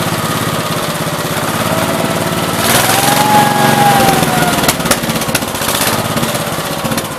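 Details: 1969 Gravely 432 with a rebuilt K321 14 hp single-cylinder engine and a new piston, running for about half an hour. Firing steadily, speed swelling then settling, with no knock or rattle; healthy normal running. The owner suspects a fuel pump problem.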